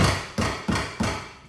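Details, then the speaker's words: Tapping the door panel of a V6 (1MZ-FE) swapped Toyota MR2 SW20 gives hollow knocks, each with a short buzzy rattle from something loose inside. The door on the other side doesn't rattle. "something rattling the other no one doesn't do that listen to this so today I'm going to figure out what the hell that is"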